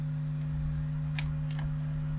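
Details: Vintage 1970s Marshall 6400 mixer amp: a steady, unchanging low hum with faint hiss, which sounds like mains hum leaking into the supply.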